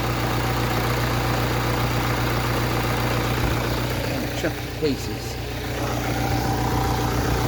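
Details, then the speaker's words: Ford Transit Connect that had a nasty engine tick, heard after the repair: steady even idle with smooth low drone and no ticking or knocking; normal idle. "I cannot hear that extremely nasty ticket wow wow that is just superb"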